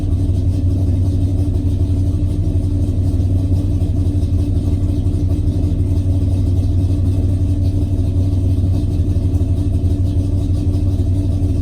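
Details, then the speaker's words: Dodge Dart with big block conversion, started after refilling coolant following a swap from a 180 to a 160 thermostat: deep steady V8 rumble with even low beat, no knocks or ticks; normal running. "And of course the next step is to refill the coolant. Start it up and see how she does."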